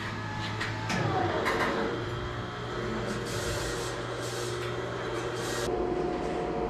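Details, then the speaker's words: Lochinvar FTXL 400,000 BTU boiler serving 12 apartments, restarted after a flow switch/low-water-cutoff lockout with all valves open and correct pressure. A steady blower hum runs through pre-purge, then ignition. Normal operation. "he's going into pre-purge i hear the ignition there you go ignition"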